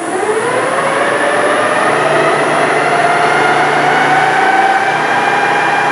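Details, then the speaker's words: LT230 transfer case, reported noisy, freshly filled with oil and not warming up, spun up fast on the bench: steady layered whine rising briefly then holding pitch; cause unknown, to be stripped. "take off you can hear it's a bit whiny so what have we got I don't know"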